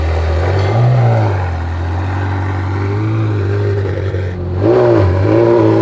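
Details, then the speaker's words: Ferrari F430 idling after the pops-and-bangs tune that caused surging was removed: steady, even idle with a clean short blip at the end; rpm holds flat with no hunting or surging. "hmm well it sounds like it's not doing the surging so that was the problem is the original tune they're trying to do some of the pops and bangs"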